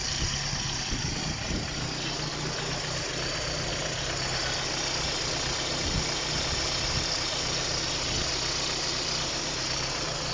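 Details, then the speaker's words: Opel Astra with about 180,000 km, water pump leaking, left driver-side engine mount needing replacement: even, steady idle with no knocks or stumbles, light mechanical hiss; running efficiently, normal idle. "She's running efficiently now. I can't speak for the rest of what she does."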